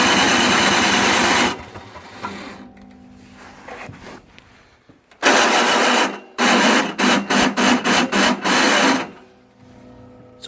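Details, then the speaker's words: Toro Snow Commander 38602 single-stage snowblower with electric start: repeated short starter bursts with harsh, rapid stuttering grinding whir that never catches; the electric start motor gear is stripped and ground up; engine also had bad brown fuel. "ground up so I'm just trying to get the turn"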